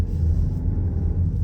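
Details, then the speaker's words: VW Tiguan after repair of noise, rough shifting and vibration with new transmission, pulling away and creeping without gas: low, even drivetrain rumble, no clunks or flare between gears; normal, smooth automatic shifting. "Oh, way better, guys. But let's see how the shifting does. So far it's just moving on its own."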